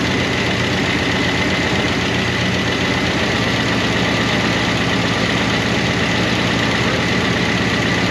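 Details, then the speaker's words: 1988 Monte Carlo SS V8 revived after sitting over 20 years, idling on a temporary fuel tank: a fast, even light ticking that doesn't fade from noisy rocker arms that started to quiet but never went fully quiet. "but those rocker arms never did get quiet. It's started to get quiet,"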